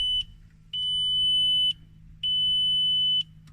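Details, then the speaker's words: VW Polo parts car with a 100 hp BBZ engine and several electrical faults: long high warning beeps over a low hum, set off by the broken handbrake. Handbrake warning chime. "yeah it's got a fair few electrical issues uh i'm great lights flashing because the handbrake's actually broken"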